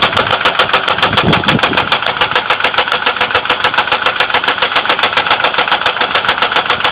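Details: 2002 Ford Windstar 3.8L at idle: steady fast tapping, about three or four a second, a top-end knock/click of unconfirmed cause; oil level rose overnight to milky light-brown with some spilled, though coolant is not significantly low.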